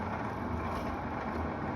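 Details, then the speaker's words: Engine turns over with an uneven, labored churn and never catches after power is finally put to it; weak slow cranking, owner concludes the starter needs replacing, engine thought not seized. "this the bad the starters yeah that sounds that sounds like a starter okay so it rolled over boys and girls yeah it's still turned over"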